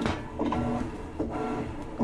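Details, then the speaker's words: Kenmore (Whirlpool-built) top-load washer, model 110.20022013, in service test mode: low-speed agitation with a rhythmic whirring hum that swells and eases each stroke, running normally. "this, that's a low agitation, and this is high agitation."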